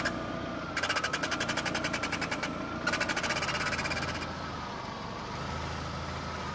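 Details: Rapid rubbing chirps, nearly three a second, with a high squeaky dolphin-like tone as the steering wheel turns; a dry bearing where the intermediate steering shaft passes through the firewall, fixed with lubrication.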